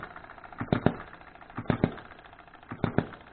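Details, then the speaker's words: Small hobby-built model engine at idle, timing adjustable, runs pretty good: usually fires in quick pairs about once a second then coasts, occasionally hits once; normal running. "it sits there and runs pretty good. Usually hits twice and then coasts. Every now and then it'll hit once."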